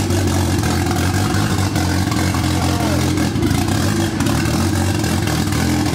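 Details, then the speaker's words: Honda Civic wagon, D16Z6 VTEC build with H-beam rods and a new turbo setup, first start after about two years sitting: loud, lumpy idle with uneven throb and slight hunting; runs rough, blamed on poor injectors. "all right so we got it to run quite a bit better these injectors just kind of suck"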